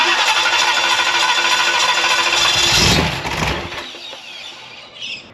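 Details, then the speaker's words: Free 327 ci Chevy V8 during cam and lifter work, cranking about three beats a second, briefly catching then fading out with lots of fuel; with a quarter-turn valve clearance it still wouldn't run. "The more I backed them off, I had a quarter of a turn clearance. Still wouldn't run. Lot of fuel."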